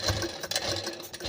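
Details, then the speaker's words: Sewing machine run at speed, before oiling (quieter when run slowly): fast, harsh, uneven clattery rattle and metallic chatter; dry mechanism short of oil. "जब machine में इस type का आवाज आए य देखिए तो आपको समझ लेना है कि इसमें मशीन के यल की वजह से यह मशीन आवाज कर रही है"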